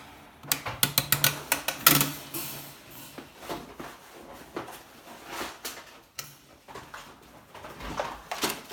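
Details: Fan clicking fault: irregular sharp clicks and ticks in bursts over a quiet room, with no steady motor tone.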